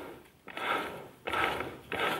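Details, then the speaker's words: 2011 VW Touran 1.2 manual gearbox, removed from car, shaft turned by hand; three rough gritty rumbling bursts, already too loud; owner suspects failed main shaft bearing in the gearbox, not yet confirmed. "wenn ihr das hört in meinen augen ist es jetzt schon zu laut wenn ich drehe jetzt nur mit der hand"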